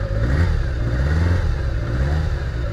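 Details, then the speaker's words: Kawasaki GPz550 abandoned bike, revived: low, lumpy engine beat wavers and stumbles when throttle is given to one cylinder's carburetor alone, showing cylinder imbalance; smooth when all four opened together. "funny you can actually hear it look that's just giving one cylinder throttle you can hear it upset the balance and then if I do all four nice and smooth"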